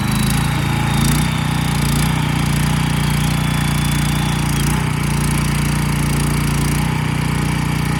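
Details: Tiller small single-cylinder engine just after carburetor replacement, started on choke: chugging steadily at a fast, even beat with no misses or surging; normal running.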